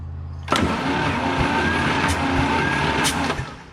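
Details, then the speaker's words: Power Horse 4WD farm tractor, long-sitting six-cylinder: about three seconds of cranking at roughly three beats a second, uneven lopsided rhythm with occasional pop; compression test shows one cylinder with none. "it's amazing that even fired yeah tubes well that's why would you hear that pop once in a while that was those one and six"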